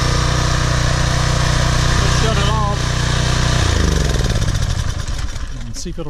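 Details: PowerFlow Plus pressure washer, Briggs & Stratton 190 cc engine, after carburetor cleaning (clogged bowl-screw jet, dried ethanol gas, oil in carb; sat over a year): runs at a steady, even beat then winds down smoothly; healthy, no misfire.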